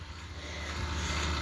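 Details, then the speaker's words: 2017 Carrier Sentry 3-ton heat pump outdoor unit running with a heavy low hum and rough hash, audible from a distance, first time doing this; owner suspects compressor, or low refrigerant. "I'm really not sure what it is, but my guess is the compressor."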